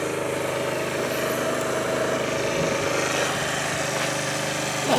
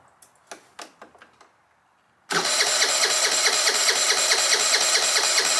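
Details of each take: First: 2013 Italika Sports City 50cc moped revived after five years sitting, reassembled: fairly steady buzzing idle with no stumbling or dying out; running fine now. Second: 2013 50cc scooter (Sports City), sat unused for 5 years, new battery, empty fuel tank: a few light clicks, then starter whirs steadily about twice a second but never catches; cranks but no start, no fuel reaching engine.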